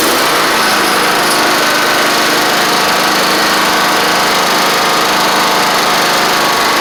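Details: Troy-Bilt Horse XP mower after an engine swap, first run on its own with the carburetor in doubt: steady high-speed, even, unbroken buzz with no misses or knocks. Normal running.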